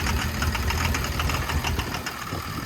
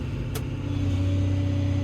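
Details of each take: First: Construction machine diesel idling, hunting and stumbling with knocky clatter; fuel rail pressure relief valve not sealing, bleeding pressure back into the fuel system through the leak-off, after earlier failed repairs by others. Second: Six-cylinder 140 diesel revving: deep even drone building smoothly, no knocks; healthy, engine light only from unreset PRV count.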